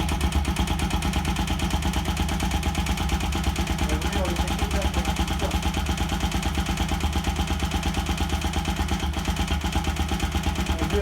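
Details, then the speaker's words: Bajaj Rouser NS 200, after fitting spark plugs and the valve cover, checked for engine noise: steady single-cylinder idle with an even beat and no knock or rattle; no abnormal noise. "pero la moto no hace ruido está muy bien normal"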